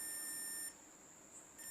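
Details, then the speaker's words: Amplifier circuit on a multimeter continuity test between the audio ground (AG) and the 5 V ground: a steady high-pitched beep holds and returns, showing the grounds are joined, so this circuit won't hum even without an isolated supply. "जब हम इन पर आपस में probe रखेंगे तो ये beep देंगे, ये देखो ये बीप दे रहे हैं,"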